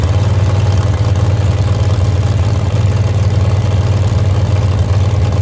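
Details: Moonshiner big-block truck, first start in 10 months after rebuild from a crash: loud, uneven, lumpy idle with sharp bark; a plug wire is suspected crossed and timing is way off.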